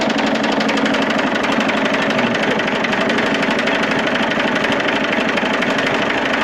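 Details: Massey Ferguson 35X diesel tractor after fuel bowl gasket replacement fixed the fuel leak; steady even diesel clatter at constant fast idle, no stumbling or misses; normal idle.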